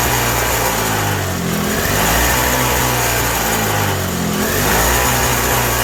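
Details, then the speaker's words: 1987 Toro CCR 2000 snowblower in a cold shop, with a newly fitted replacement carburetor: it runs only on choke, its speed surging and sagging every couple of seconds, and turning the jet in or out changes nothing. Finding: running lean. "Yeah, running real lean. It only runs on choke."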